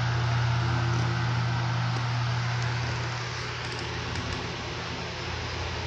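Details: Restored flea-market 16-inch four-blade Toshiba oscillating table fan: steady low motor hum under a smooth even rush of air with its unique airplane-like sound, no rattle or ticking; runs clean and healthy.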